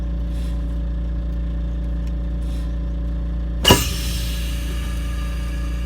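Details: 1988 Wanderlodge diesel coach during brake chamber stroke check: steady low idle with one quick sharp air hiss as brakes apply and settle, stroke about 4.25 in, within spec; normal air brake application.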